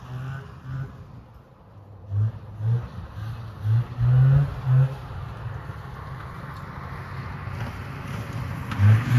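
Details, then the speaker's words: Polaris Cobra 440 two-stroke snowmobile revived after a spark plug change: low burble with crisp throttle blips rising and falling cleanly, smoky but no misfire or stumble; runs good, no chain case leaks. "got her running smoking machine here runs good sounds good"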